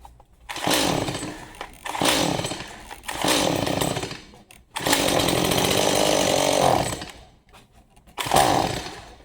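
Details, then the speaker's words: Stihl MS 180C chainsaw, spark confirmed, half choked on starting fluid: several rough two-stroke bursts about a second each dying away without idling; likely old fuel and gummed-up carburetor, suspected not confirmed. "It wants it. All right, so it will start on starting fluid. Um more than likely it's a gummed up carburetor."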